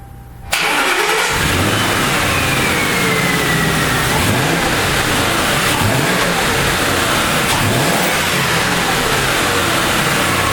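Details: 2000 Mercury Grand Marquis 4.6L V8 after spark plug change, cracked plastic intake noted: catches quickly after a short crank and revs up and down cleanly, smooth and even with no misfire.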